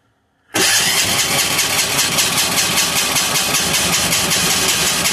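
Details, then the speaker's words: Amazon 186FA single-cylinder diesel test-running on filtered used synthetic motor oil, with leftover other fuel and air in the line: catches instantly, then fast, loud, slightly uneven clatter with much smoke; rough running after start, cause suspected. "see what happens here little air pocket we've already got some of that nasty oil in the line yeah we got a good old air pocket in the line there"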